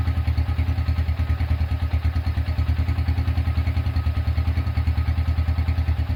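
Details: Honda Tiger single-cylinder engine after restoration, first start, broken exhaust bolt repaired and starter cable replaced: even, steady low idle thump about three beats a second, no knocks or rattles; smooth, healthy.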